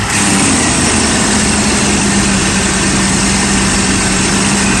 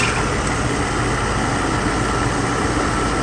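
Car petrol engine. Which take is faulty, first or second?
first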